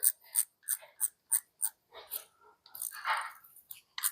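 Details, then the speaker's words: E-bike rear hub freehub on machine bearings, spun after servicing and reassembly: crisp, evenly spaced ratchet ticks about three a second, with no rumble, hum or play, so the hub is healthy. "nic nie szumi nic nie Huczy nie ma luzów więc jest wszystko okej"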